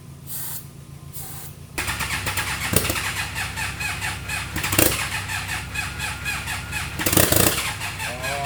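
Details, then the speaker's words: Freshly rebuilt 300hp turbo GSXR engine in a 6x6 mini Jeep, first start, jumped from a Subaru, gear oil possibly burning in a cylinder: several short, ragged bursts that catch and fade. It fires briefly then dies, with a major battery issue. "We just got to get it to run a little bit longer, but that is that that was a start. So, we have a huge battery issue right now."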